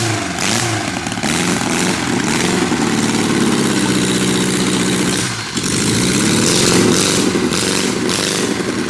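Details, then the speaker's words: 1976 US military surplus 32 cubic inch four-cylinder generator engine, startup: rough loud clatter that swells and sags on its own with a dip midway; speed hunting, governor not acting right. "it sounds good the uh Governor is not acting right"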